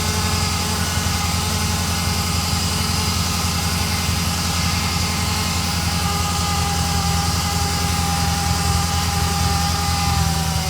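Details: Ferrari Mondial 3.2 at cold idle: a thin steady buzz starts about 15 seconds after start as oil pressure rises and fades once warm. Loudest by stethoscope on the braided oil hoses to the fan; cause unconfirmed.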